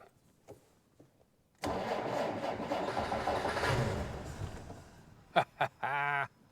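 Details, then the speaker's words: 1947 Dodge D24 Deluxe, fluid drive, unrun for over 6 months, owner suspects ignition fault: about three seconds of cranking with a brief swell as if trying to fire, then dies; cranks but will not start. "okay well you heard it try to fire you probably the car came in because it had ignition problems it wasn't firing we just heard it try"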